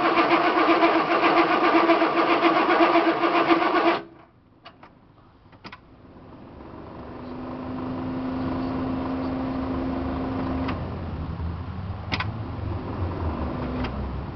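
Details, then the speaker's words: Diesel cranking unplugged at 10°F: steady cranking about four seconds without catching and no glow plug relay click; glow plugs not working though the light works, owner suspects they froze. Not confirmed. "I don't hear the relay clicking for the glow plugs. No glow plugs. Something's wrong."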